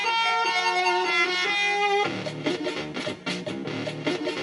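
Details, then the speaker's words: Commodore 64 playing a game with its SID chip marked bad after glitchy diagnostics: chiptune plays cleanly but the bass line sits a little quiet and audio is slightly poppy; workable but imperfect SID. "a little quiet in a baseline there"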